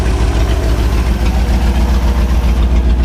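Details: 1967 Chevy C10 truck's 327 V8 (11,200 miles) on first start after 33 years parked, fuel system sorted, idle fine-tuned; loud, deep, even loping rumble on open pipes with no knocks or misses; normal idle.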